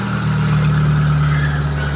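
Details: Mitsubishi Lancer crank-no-start, running after new ignition coil, new ignition module and an extra battery; smooth, even idle with steady low hum and no misses or stumbles, engine running properly.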